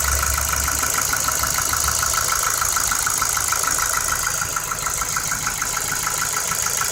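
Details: 2009 Ford Focus 2 1.6, 90,000 km, at idle: a quick, even ticking knock at about three per second rides over the idle. Piston pins suspected, not confirmed; fix would be an engine rebuild with new pistons and pins, possibly machining.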